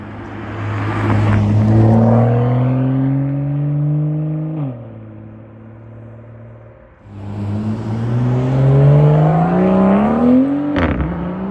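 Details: BMW M2, about one year owned, M Performance exhaust with valves opened by remote (bypass fitted): two clean rev sweeps, a deep drone climbing and dropping smoothly with no misfire or rattle.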